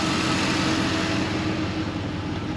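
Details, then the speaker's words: 2003 Chevy Suburban (GMT800) after replacing an AC clutch whose shorted coil kept blowing the AC fuse; the original compressor was kept. Steady, even idle with the AC on and no grinding, rattle or whine; the compressor runs quietly and normally. "You hear the compressor? I don't hear it. It's a good compressor. Maybe slightly, but it definitely is not noisy."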